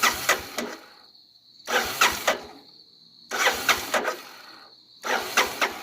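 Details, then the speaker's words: 1985 Honda Big Red 250ES, cold, sat long, hasn't started in a while, tank believed full, oil good: four cranking bursts of about a second each with pauses. The starter spins but the engine never fires; long crank, no start. "Hasn't been starting in quite a while. Seat's all dirty from sitting. Oil's good. Probably gonna take a while. See, told you."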